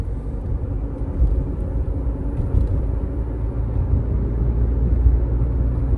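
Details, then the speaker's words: 2019 Toyota RAV4 on Kumho Crugen HT51 tires, about 40,000 miles since 2021, driving at 40 mph: deep steady droning rumble from the rear, no clicks; tread still good but hardened, cracked rubber makes the tires hum. "The thread life is pretty good still, but the rubber compound is very hard and they're making noise. I don't like that."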